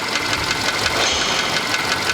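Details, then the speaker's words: Skoda Fabia 1.6 CFNA engine at idle just after start, no fault codes: fast steady light tapping over the idle that doesn't fade; mechanic suspects piston knock, to be checked by endoscope through the spark plug holes. "А, ну очевиден, что-то явно постукивает. Ну, сейчас будет, как я предполагал, например, это поршневая. Явно звук поршневой."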